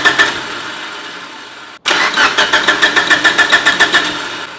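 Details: Mitsubishi Evo 8 after dyno pull made noise from cylinder head, injectors off, oil pressure present; cranking with no start about three and a half pulses a second with dry whirring rattle over it; power steering pump shaft noise.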